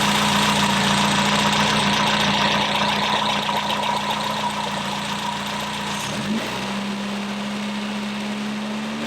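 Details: Freshly rebuilt engine in a 1969 Triumph Spitfire Mk3, first runs with original rocker cover refitted; steady idle with a light, even tick about 220 per minute; suspected small exhaust leak, not confirmed; timing then set to 6° BTDC.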